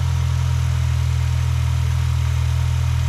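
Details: 2005 Mini Cooper 1.6 petrol after new clutch, some smoke from oil burning off exhaust. Steady, even low thrum with no knocks, misses or rattles; normal idle.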